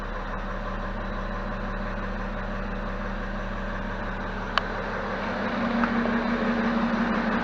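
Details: BMW E70 X5 diesel after fuel filter replacement and fuel system priming: even, settled clatter at idle with no stumble or miss, rising slightly near the end; healthy, smooth-running engine.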